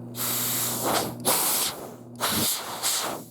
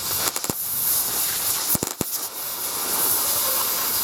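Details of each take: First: Oxy-fuel cutting torch tip just unclogged after it got stuck from cutting too close: a strong, clean gas hiss rising and falling in steady bursts with no sputter, now flowing freely. Normal gas flow. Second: Plasma cutter cutting rusty skid steer bucket steel outdoors: steady arc hiss broken by sharp irregular pops as rust spits back into the tip; trigger must be pulled fully.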